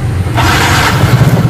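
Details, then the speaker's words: Fuel-injected motorcycle that was dead, with worn piston and block needing replacement, after fitting a new plug to replace a very dirty one: short crank, then the small engine catches and revs up and down, running on its own and smoking. "Oke, ternyata hidup. Nah, jadi cukup gampang ya teman-teman."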